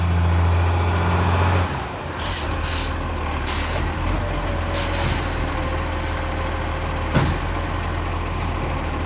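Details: Tea Tree Gully garbage truck, diesel, on collection run: heavy rumble with raspy puffing edge under air-brake hiss; exhaust leak.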